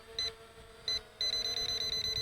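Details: ZLL SG906 Max drone with obstacle avoidance sensor, after reboot, on commanding forward flight: two single high beeps then a fast steady train of about nine per second; obstacle sensor warning halting forward flight.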